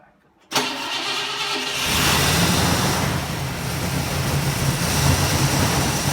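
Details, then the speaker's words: 1960 Pontiac Ventura barn find with Tri-Power carburetors, outer carbs disconnected, timing advanced to where it previously ran well: runs lumpy and shaking, missing on some of its eight cylinders, backfiring through exhaust and carburetor; electrical cause suspected, plugs not yet replaced. "this beast just refuses to run on all eight cylinders and can get it to run so so as you see it's still wanting to miss its shaking and shimmying backfiring both out of the exhaust and out of the carburetor"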